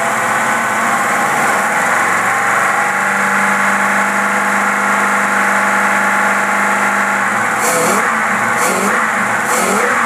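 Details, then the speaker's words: V8 on rebuilt Rochester 4-jet carb, fuel at 3 psi, fan off, previously stumbling, popping and cutting out; steady even idle holding speed with no stumbles: carburetor repair successful. "oh man this thing is running sweet brother"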